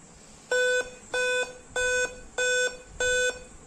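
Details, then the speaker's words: Dell Inspiron 3542 i5 laptop, battery fully drained, on adapter with blinking white-to-yellow LED and "Time-of-day not set" error: five short identical high beeps at power-on, five-beep POST code boot fault. "then you can also hear the five time beeping sound which is the another problem for that I will give the solution in upcoming videos"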